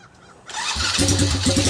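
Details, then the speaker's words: China ATV with Kymco 125cc pit bike engine, cold start in snow, choke on, portable ignition: cranking then a ragged short burst of firing that won't settle to idle; fires only on starting fluid, owner suspects stuck carburetor float. "yeah it sounds like the only firing on the starting fluid so i'm gonna have to pull the carburetor apart"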